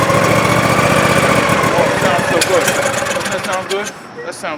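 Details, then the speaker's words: John Deere LA145 lawn tractor V-twin: runs loud and fairly steady for a few seconds, then the note sags and dies; stalls shortly after starting, suspected fuel delivery problem, fuel possibly not getting from pump. "so good we have a fuel delivery problem keep it running come on come on"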